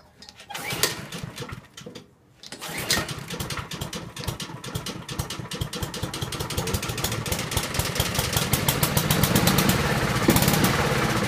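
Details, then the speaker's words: Honda HRT216 mower, cold start after seeming stuck valve: cranks, catches and settles into a quick, even putter climbing steadily without misses; normal running, smoothest it has run. "wow no way smoothest I've ever even seen it run before"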